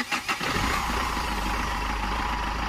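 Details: Mahindra Xylo diesel after fuel-line air fix (no-start with cranking but not catching, engine shaking): short crank, quick catch, even diesel clatter settling into smooth steady idle; restarted after 10–15 second wait, starts cleanly, now runs solid.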